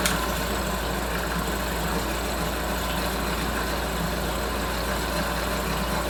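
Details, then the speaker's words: Mercury 9.9 hp outboard (carb rebuild thought needed), running and shifted: steady, even, smooth low idle with no misses or surging; healthy, fuel line believed the cause. "She's peeing, and she's running, shifted. She's idling good."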